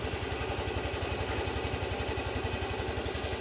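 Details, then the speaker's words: 2023 Yamaha Grand Filano Hybrid scooter with stock engine and stock exhaust at idle: an even, soft low putter at about two beats per second with no knocks or rattles, healthy and with no white smoke. "เสียงท่อรถเดิมๆนะครับเดี๋ยวจะลองเร่งเครื่องให้ฟังเสียงได้ชชัดเจนขึ้น"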